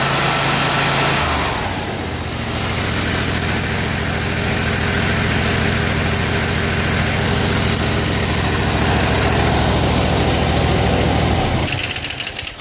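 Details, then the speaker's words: Kawasaki FH680V 23 HP twin-barrel-carb engine on a Gravely 160Z mower, after cleaning a plugged left-bank idle jet: starts and settles into a smooth, even idle with no lope or surging, and transitions to full rpm fine. Normal idle after repair. "but now it starts and idles and transitions to full RPM just fine"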